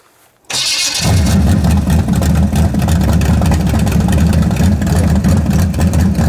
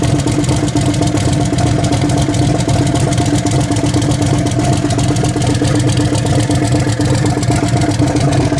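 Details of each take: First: V8: fires into a loud, lumpy, uneven burble that stumbles when revved; lean spot as the mechanical fuel pump can't keep the float bowl full and it runs out of pump shot, electric pump planned. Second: Turbo Nova V8 after swap to a bigger cam, running with old fouled plugs: choppy, loping idle with uneven big-cam beat, no knocks or clatter; engine sounds healthy.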